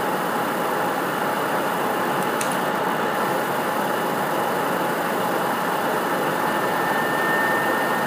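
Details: PS4 CUH-1216A (C-chassis) running Witcher 3 digital, horizontal on media center 15 cm from back wall, peak about 63 dB: constant loud whoosh with faint steady whine, no pitch change; loud fan under load, cause unclear.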